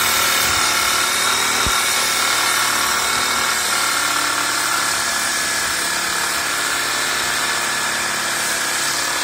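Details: DIY drill-driven wood lathe with headstock chuck and tailstock center, screws tightened, sanding a picket: a steady high whir with an even sanding hiss and no knocks or wobble, running smoothly.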